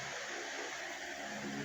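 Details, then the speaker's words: Kawasaki Ninja 400/Z400 after adjusting the stock cam chain tensioner by pushing it until it clicks with the engine running. Steady, even idle; the ticking/rattling is gone. "tatahimik na po yung makina."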